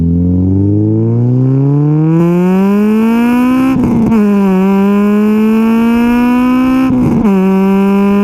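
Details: Honda K20A2 engine, first drive after start-up, revved to 8,000 rpm through first to third gear; revs climb cleanly to a high scream with crisp shifts and sharp even exhaust note, healthy. Possible O2 sensor fault or bad relay pending.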